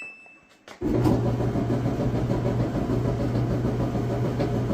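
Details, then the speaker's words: Samsung clothes dryer starts into a loud, rough grinding rumble over a steady hum from one or more bad drum support rollers, to be replaced with a roller, belt and idler kit. "that's a bad roller or more than one bad roller"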